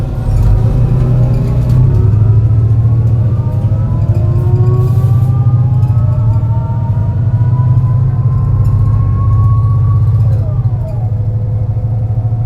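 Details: MAN NL202 CNG bus with ZF Ecomat 5-speed gearbox on a long hill climb: deep rumble with irregular stumble as gearbox whine rises through gears; bad engine misfire under load.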